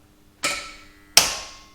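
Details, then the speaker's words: 2JZ-swapped Nissan 240SX starting on its own battery: two sharp single clicks about a second apart with no cranking; starter signal wire gives too little voltage to actuate the solenoid, fixed by splicing a relay into the signal wire. "And the issue is that if the car tries to start under its own power, the starter just clicks."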